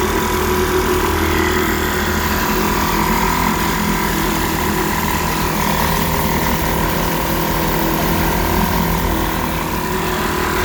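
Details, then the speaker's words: 1946 Elgin 1.25 hp air-cooled two-stroke outboard in a tank test, on ethanol-free 90-octane gas. Tank, carburetor and fuel line were cleaned of varnish and points cleaned; touchy carb now dialed in. Steady, even buzz with no misses or surging: normal running. "it started up and seemed to run pretty good once I got the carburetor adjusted it's pretty touchy but I got it dialed in it seems to be doing okay"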